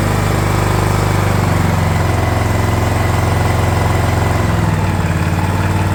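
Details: DR all-terrain mower, Kawasaki FV420V engine revived after sitting for years: after oil change, carb cleaning and new air filter, single thumps a bit unevenly at fast idle while the carb bowl fills, then settles smooth; runs even better now.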